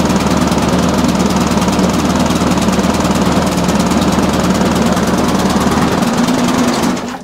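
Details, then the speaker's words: Briggs and Stratton push mower after a new spring and new air filter, held at raised speed: runs lumpy, about four beats a second, no smooth hum; dirty carburetor, clean plus possible gasket and diaphragm change planned. "okay so even by me speeding the engine up it didn't make a lot of difference that tells me the carburetor does need looking at"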